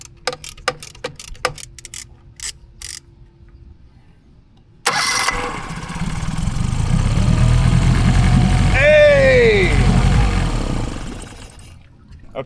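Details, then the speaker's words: Tohatsu 9.8 hp 4-stroke transom-mounted outboard on a 1981 Cape Dory 28, after cleaning gunk and wire-brushing: starter cranks briefly, engine catches, revs, then runs steady with no misfire; idle valve still needs adjustment. "I need to adjust the idle valve, but that sounded fixed to me."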